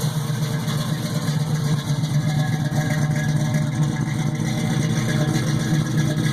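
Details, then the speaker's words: 1967 Pontiac Firebird V8 with a replacement Holley carburetor (warranty swap for casting flaws), idle turned up slightly during tuning before air-fuel mixture adjustment: a steady, slightly raised idle with an even low rumble and no misses or knocks. Sounds good, normal idle. "I've turned the idle up a little bit I like to say damn in it sounds pretty good"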